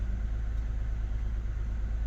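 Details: 2008 Lexus ES350 V6 at idle, low rumble with an uneven, lumpy pulse: code P0304, cylinder 4 misfire. Swapping coils and the spark plug didn't fix it; rats had chewed the #4 fuel injector connector, so no fuel reached that cylinder.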